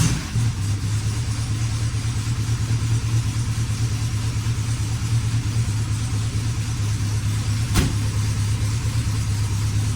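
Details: 1965 Volkswagen Beetle air-cooled flat-four after complete mechanical, fuel and brake overhaul: fires straight up and settles into a steady, even low chuff at idle, no knocks or misses; healthy.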